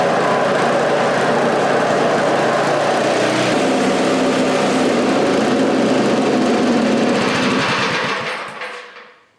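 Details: Scrap-heap snowblower, just fitted with a new carburetor reusing its old throttle shaft and butterfly: a small single-cylinder runs at a steady, even fast putter, then shuts down smoothly. It sounds healthy with no misses or knocks, though the clutch won't disengage.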